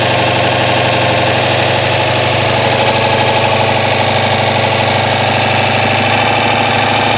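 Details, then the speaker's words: Citroën 2CV flat-twin idling after not starting: loud, raspy puffing chuff on every firing stroke from an exhaust leak somewhere. "I've got a bad exhaust leak in here somewhere I can hear it"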